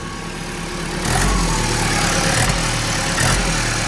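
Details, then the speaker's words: Ex-fleet Ford Transit diesel, 127,000 miles, idling: uneven puffing blow with occasional sharp chuffs over the clatter; judged not the turbo but a leak at the engine-to-exhaust-manifold joint, same issue on all the vans; turbo to come off. "it I'm going to say that's not turbo that's manifold what engine to manifold or further down uh engine to manifold is it yeah"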